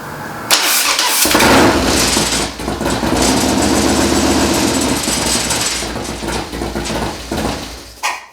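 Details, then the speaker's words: First start-up of a freshly built engine with a re-jetted CV carburetor and newly installed exhaust. It cranks, catches and settles into a loping cam idle with a few metallic clangs at startup; no leaks found. Normal start and idle. "As you can hear, it sounds great. It's got that good cam lope."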